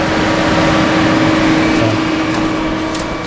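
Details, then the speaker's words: Ford Model A classic car with newly installed aftermarket electric cooling fan, engine running at around 30°F: smooth constant whoosh with steady hum, no rattle, wobble or rubbing; fan running normally. "well there's the fan running I don't know if you can hear it over the engine"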